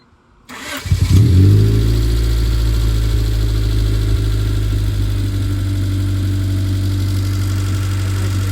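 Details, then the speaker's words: 1991 Honda Civic after new distributor cap (ignition maintenance); quick crank catches within a second, settles to steady even low idle, no misfire or check engine light; normal start and idle. "We have no check engine light. We have no rough idles. And it starts up right on crank."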